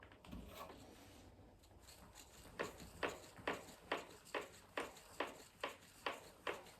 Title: RockShox DeLuxe Ultimate in Canyon Lux knocking noise